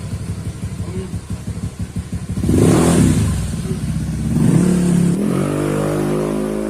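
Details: Honda Scoopy eSP bored up to 130cc, engine internals modified, throttle body fitted, first start after build: light easy crank, catches, revs up smoothly and settles to even idle; normal running.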